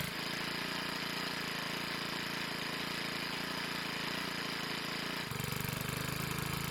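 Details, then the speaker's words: Troy-Bilt 4-cycle edger that wouldn't start, after repair and lubricated wheels and cables, test start: steady, even single-cylinder drone, crisp firing, no knocks or misses, pitch stepping down slightly; running normally. "Well, it's safe to say that it needed a lot more than just a purge bulb for it to run well again."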